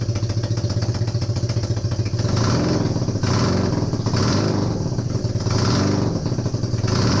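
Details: Honda CB250N Superdream twin, rebuilt from boxes of bits, with new spark plugs, first successful run after the disconnected kill switch was found. It settles into a steady, even run with gentle rev blips and no knocking. Normal running; owner suspects the base gasket for a front oil leak.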